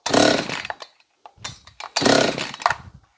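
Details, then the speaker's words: John Deere CS56 chainsaw, kill switch disconnected, fired on primer fuel: short ragged bursts that catch and die, running rough; compression release suspected stuck but found not stuck, if anything stuck closed. "Boy, that sounds weird. Feels like this compression release is stuck."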